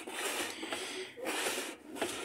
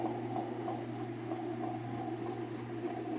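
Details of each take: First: Whirlpool top-load washer that won't spin-dry, tub turned by hand on spin: dry scraping rub as the metal tub catches the plastic tub; the tub's support has rotted through and the tub dropped, needing tub replacement. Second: Whirlpool top-load washer after repair (rotted tub replaced, agitator with rotted bolt replaced), on spin before lid is opened: quiet, steady hum at constant speed, no knocking, scraping or wobble; normal spin.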